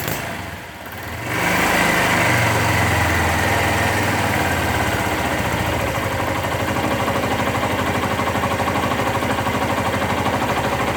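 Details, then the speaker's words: 2001 Suzuki GZ250 single-cylinder motorcycle after carburetor mixture adjustment, starting on choke and idling; sharp, rapid puffing tick from an exhaust leak that persisted after gasket replacement. "oh and you'll you'll hear an exhaust leak that I'm hoping to take care of today as well and I changed the gasket but that didn't seem to stop it"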